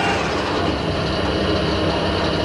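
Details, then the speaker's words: Harrison L6 12-inch swing lathe headstock after clutch repair (new operating pins), clutch cover refitted, first test run before trying 1000 rpm; steady, even whirr with oil swish, no plate rattle or knocking; much quieter, normal. "wow a lot more quieter we'll try a thousand rpm"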